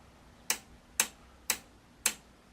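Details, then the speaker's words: Pye V4 TV chassis power switch: four crisp, sharp clicks about half a second apart in a quiet room, a healthy old-fashioned mechanical on-off switch. "you hear that does all that is that is a good old-fashioned proper on-off switch"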